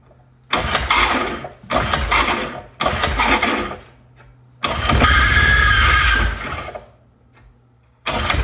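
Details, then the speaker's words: 1975 Briggs & Stratton 3hp horizontal-shaft engine with fresh fuel (about half a tank): four pull-start cranks, each churning a second or two, none catching; possibly a bad fuel pickup (owner also wondered whether the diaphragm pumps). "curious to know if the diaphragm is actually pumping or not could be that that pickup I didn't pull that pickup out maybe it's maybe it's bad"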